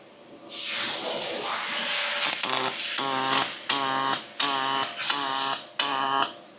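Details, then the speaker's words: Fronius robotic MIG welder: long hissing weld run, then short buzzing bursts with quiet gaps; vertical-down and horizontal joints are programmed with different speed, wire feed rate and amperage, horizontal taking more heat, so they sound different; welder and arm working normally. "So you can actually hear the sound difference. So the vertical down is programmed at a different speed and a different feed rate than or temperature, right? Like different amperage than the horizontal."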